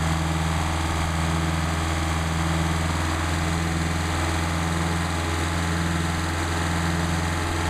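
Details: Mercedes 190SL with rebuilt Solex carburetors warming up before adjustment, about 99° ambient: steady, even low idle with an unbroken beat and no misses, knocks or hunting. Carbs pulling cleanly.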